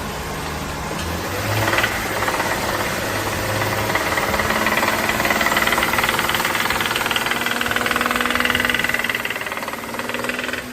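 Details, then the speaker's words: BMW 535 brought in for engine warning light: throttle blip brings a loud, rapid metallic knock about four a second from inside the engine, a noise the owner hadn't mentioned; engine then dismantled. "然后呢，我踩了一下油门，声音这么响，客户隐瞒了这个异响的问题啊。一听这个声音嘛，就是发动机里面的问题了。"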